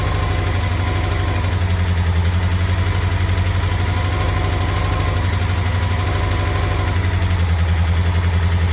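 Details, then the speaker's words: 1984 Honda CBX750 after engine rebuild and reinstall, hot start, first run: quick even multi-cylinder idle with steady beat, no tapping or misses; running nicely, idle perhaps needs knocking down a little, oil residue burning off. "very happy she's running quite [Music] nicely not too bad not too bad probably use the idle knocking down a little bit"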